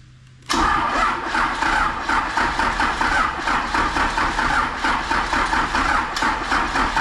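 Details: Off-road rollback diesel engine, first start after radiator install with the fuel solenoid held up: silence, then it catches instantly and settles into a steady chugging idle with an even, lively beat.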